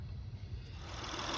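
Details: 2004 Honda Accord V6 (J30/J32) idling with serpentine belt removed to chase a loud under-hood whine: steady even low hum, whine gone, pointing to a tensioner/idler pulley or power steering pump.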